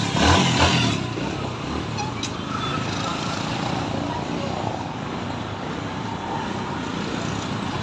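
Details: TVS Stryker 125 single, about 124,000 km, after repair for poor sound and slow pickup: steady idle with an even beat and no top-end knocks or rattles; sounds healthy, normal running.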